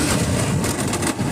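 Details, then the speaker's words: Honda Shine motorcycle, opened three times by other mechanics, not taking third and fourth gear: rough rumbling engine with irregular gritty rasps like chewed gear teeth; gearbox found completely broken inside, replaced. "इसके अब second और fourth gear sorry third और fourth gear नहीं ए रहा है बहुत ही घटिया आवाज कर रहे हैं"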